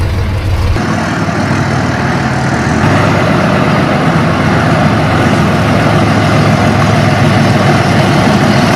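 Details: Overgrown concrete mixer engine unstarted for 10 years: brief crank, then catches and settles into a loud, somewhat uneven low idle; first start after long storage, condition otherwise unknown.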